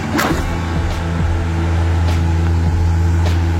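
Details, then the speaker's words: Sanex 18-inch stand fan with a replacement motor, running at speed 3 after repair: steady low hum, smooth and even, no rubbing or rattle; running normally. "Speed 3. Waduh, lebih kencang lagi sobat suaranya tuh."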